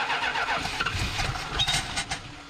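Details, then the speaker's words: 1971 Plymouth Satellite barn find, reportedly 440 engine, year-old gas, needs tune-up: uneven, lurching cranking with a few sharp bangs before catching; engine kicking back, out of tune or timing, possibly bad gas or blocked carburetor passages suspected. "why is it uh kicking back like that he was correct in the fact that it definitely needs a tune up should not have to have the idle turned up that high"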